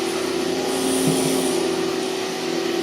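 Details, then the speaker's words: 2003 Hoover TurboPower 5000 vacuum: steady motor hum eases down smoothly to a stop after switch-off, a normal wind-down. "that's the wine down so I wanted you to hear that that's actually normal for those of you that are wondering"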